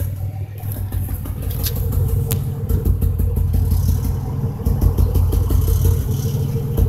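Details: 2005 Impala 3800 V6 with code P0305: a deep idle rumble with an uneven beat where firing pulses drop out now and then. Cylinder 5 misfire persists after replacing its spark plug, wire and injector; it started as a rhythm with no check engine light.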